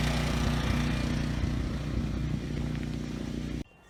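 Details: Briggs and Stratton single-cylinder generator, no load, outdoors in wind: slow idle with an uneven, slightly stuttering beat, then it cuts out; rough running with low engine speed. Owner plans a carb cleaning and bending the throttle-spring tab.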